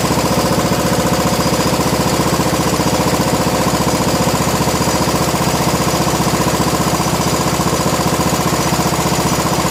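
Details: 1987 John Deere SX75 riding mower, first run after sitting, with fuel in the filter and a charger on the battery: steady even single-cylinder chug at constant speed, no misses or knocks; normal running.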